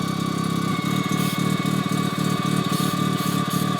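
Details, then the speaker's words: Engine with new turbo on stock parts, at low idle, pulsing rasp near four beats a second with loud rushing hiss as compressor sprays air back out its inlet, not building boost. "It is just spraying tons of air out. Just, you hear that, right?"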